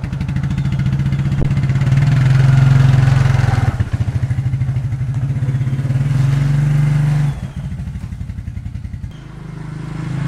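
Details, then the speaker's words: 1994 Suzuki Quadrunner 250 4x4 single-cylinder ATV, sat for years, just revived after carb rebuild, on jumper box with flat battery, idling to warm oil before an oil change: steady low even thump with small blips, no misfires; normal idle. "i'm gonna let it idle for now and warm up the oil so it's easier to drain"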